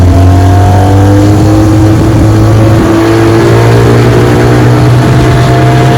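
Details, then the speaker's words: 1957 Sea King 5 hp outboard after restoration, bayou test run on a cold morning pushing a 14-foot boat about 10 mph: strong, even buzz holding steady under load, tone creeping slightly up; running clean and healthy. "All right, we're out here on the bayou giving her a test run. She runs great. Pushing my 14 foot pedigraph about 10 m an hour."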